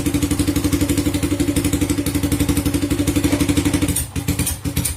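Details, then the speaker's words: First-generation Honda Supra Fit at hot idle, ignition parts already checked: even putting beat about four per second, then stumbles and falters; rough running and hard starting when hot, attributed to the automatic camshaft decompressor. "Nah, seperti itu dia, berebek-berebek. Kita tes ulang. seperti itu teman-teman, dia pincang-pincang."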